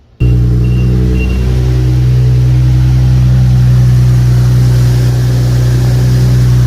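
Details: Nissan/Infiniti VHR-platform V6 (370Z/Q50/Q60/G37) just after serpentine belt replacement: engine catches and settles into steady even idle, smooth low hum, no belt squeal or chirp; normal.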